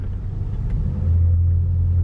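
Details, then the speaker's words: 2010 Subaru Impreza with newly installed Magnaflow 11366 performance muffler replacing the restrictive stock one, idling in drive, heard from inside the cabin: deep, steady, throaty low rumble, nothing harsh or rattling; normal performance exhaust rumble. "so I'm just idling here right now and drive and you can hear a pretty good like type of thing I don't know if you can pick up on that"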